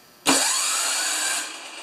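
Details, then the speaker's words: John Deere TRS 24 snowblower starter after welding its broken tab, spun before fuel was added: sharp start, then a steady high whir for about a second that winds down. Starter turns the engine cleanly, normal cranking. "Okay, that's exactly what that's supposed to sound like."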